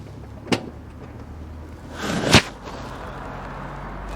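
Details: MK1 CL "George" after a pipe was refitted and the fuel pump pressurized the system with no leaks: a door thump, then a short crank that catches cleanly and settles into a steady, even low idle with no stumbling. A normal start.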